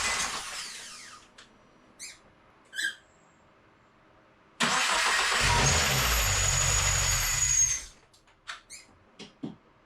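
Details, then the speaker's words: FA24 engine swapped into a VA Subaru WRX, first start: after a few quiet bumps it catches with a loud, harsh metallic clatter for about three seconds, then shuts off; cause not yet known. "You can hear it sounds awful. This metallic noise was really, really loud in person, especially since it was like echoing through the garage. It sounded like the block was just destroyed, right?"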